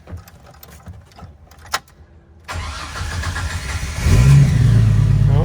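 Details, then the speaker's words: Jeep Wrangler with an intermittent no-start (no click) cranks briefly and catches cleanly into a strong, even idle after the starter was removed and a loose, bad solder connection on the starter/solenoid was repaired. "we're good so hopefully that loose connection was a culprit and I'm not going to be having those issues any longer"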